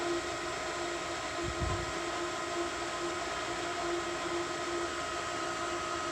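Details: Variable-speed pool pump priming likely at highest rpm on startup, turning itself down once water is found. Steady high-speed motor whir, constant tone and rushing air; normal priming behaviour.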